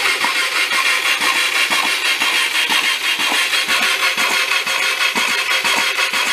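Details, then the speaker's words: Hyosung Aquila GV250, bought new, hard starting then died while riding and sat 9 years; cranking with spark plugs out and clutch in: the starter churns in even beats, about two a second, with a wet hissing gurgle as the oil-filled cylinders spit oil. "Definitely gurgling. Spitting some oil."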